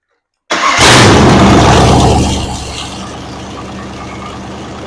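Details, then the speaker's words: Ford 302 V8 budget rebuild, with new plug wires, while setting timing (about 12° final) and idle, vacuum 16 inHg: it catches at once, flares briefly, then settles into a steady, even idle with no misfire. Snappy and healthy. "It's really snappy. It's got around 12 degrees timing in it right now. And it had 16 inches of vacuum at whatever RPM it is."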